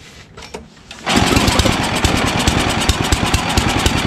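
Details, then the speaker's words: Ariens ST1128 snowblower, 11HP Tecumseh Snow King engine, cold day, after carburetor cleaning and pilot jet fix for surging, choke on, pulled after likely flooding: fires and runs a steady, even beat without hunting or surging; runs perfectly. "absolutely beautiful the pilot jet fix always fixes the surge and i was wrong even though i think that's a five horsepower uh carburetor as you can clearly see it runs absolutely perfect"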